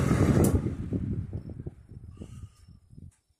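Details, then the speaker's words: Lasko Weather Shield 20-inch box fan, heavily used for about a year, after cleaning and oiling service, switched off from high: whoosh fades into slowing soft ticks that stop in about three seconds; decent, free spin-down, expected to improve as oil works in. "Spin down time is decent. I'm sure that after a while, after a little more excessive use, that oil will start to work its way in, and it'll progressively get even better."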